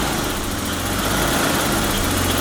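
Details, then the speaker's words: BMW E34 barn find, sat 10 years, first start after a week of diagnosis: quiet, settled idle with a steady low hum, no stumbles or knocks, no smoke. Normal idle. "there it is no smoke at all and it's just idly it's so quiet"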